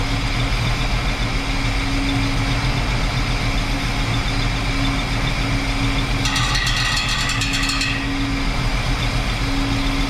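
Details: 1968 Chrysler Newport 383 big block with an Edelbrock 750 four-barrel carb on a Weiand intake, timing set about 10° BTDC. A steady, even V8 idle with a smooth low rumble and no misses or ticks. Normal idle.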